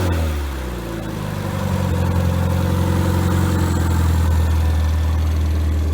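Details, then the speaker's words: Freshly rebuilt Triumph Spitfire 1500 on engine stand, head shaved to about 9.5:1, .270 cam, warm at about 190, idle about 800 rpm with fuel pump clicking, oil 50-60 psi: smooth steady low drone, even firing, no knocks; normal running. "so we'll crank it up let you hear it roar so that's fuel pump you hear clicking there about uh 800 rpms"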